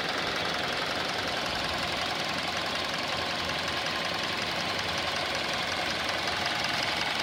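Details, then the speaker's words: 2019 Hyundai Elantra inline four-cylinder petrol, 7,000 miles, at start-up and idle: fast light diesel-like ticking over a hissy engine note that quiets down somewhat as it runs. "And you can hear it started up. You can hear that ticking. Looks like a diesel noise."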